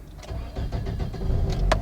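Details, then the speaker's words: Toyota Corolla with newly installed anti-theft ignition kill switch, after pressing the hidden reset switch: short burst of cranking quickly catching into a low running note; normal start. "So we'll try to start now. See, the car started."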